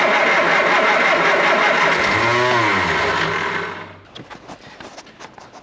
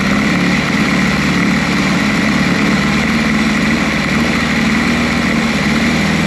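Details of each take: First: Triumph Spitfire: harsh whirring and chattering while cranking before it catches, because the starter motor mounting bolt was not tightened. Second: Triumph Spitfire, recently fitted with new calipers. Spark was confirmed and it was given a little help before cranking. After a brief drop-out it picks up and runs with an even, steady beat. A clean start.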